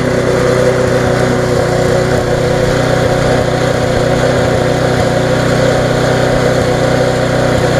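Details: Viking (Stihl) mulching mower, Briggs engine with refurbished classic carb, after repair: steady, even beat while cutting grass, no surging or misses, pulls the load cleanly.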